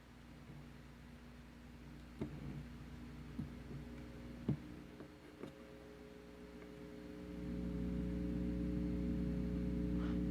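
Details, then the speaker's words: Modified 300B single-ended tube amplifier with volume raised: steady low buzzy mains hum swelling louder, loud enough to disturb music; volume control also noisy, expected to clear once the hum is fixed. "제가 볼륨을 좀 높였습니다. 이 정도의 험이 있었어요."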